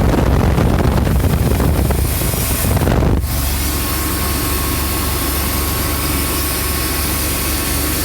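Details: 350 with a no-start, after splicing chewed wires with butt connectors and a new pigtail (O2 wire not yet repaired): after a gusty start it settles into a steady, even idle without misses, with the injectors pulsing; running normally.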